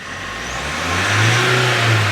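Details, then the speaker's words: Mahindra Scorpio pickup diesel after the MAP sensor and intake pipe were refitted to fix power loss; engine cover off. Free revving: rpm climbs quickly and cleanly with no stumble or hesitation, and good pickup is expected. "ये very good अभी RPM तेजी से जा रहे हैं उम्मीद तो है कि अब अच्छा पिकअप पकड़े गी गाड़ी"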